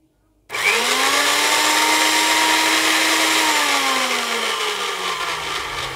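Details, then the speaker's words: Diva electric meat grinder that wouldn't run on its switch, run by directly bridging the contacts to locate the fault before soldering: motor spins up to a steady high whine with a smooth even hum, then slows slightly under light load. "И буквально замыкая наши вот эти контакты, и мясорубка будет работать."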